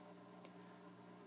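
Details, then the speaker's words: Aquarium filter on a 10-gallon tank with a light stand resting on it: quiet, steady low hum with a buzzy edge, vibration caused by the stand sitting on the filter. "so my way to improvise is just putting the stand on the filter and it that's why you can hear a lot of vibration is just cuz that's on there"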